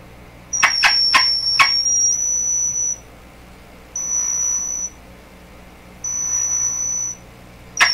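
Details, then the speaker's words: Deforest 10DA517 tube AM radio fitted with glass tubes instead of the specified metal ones; after the grid is bumped, a piercing very high squeal comes in roughly one-second bursts with sharp clicks as it oscillates, suspected bad connection or tube pin contact. "I think I should try tuning the [Laughter] radio wow that's screaming out to put a shield back on me"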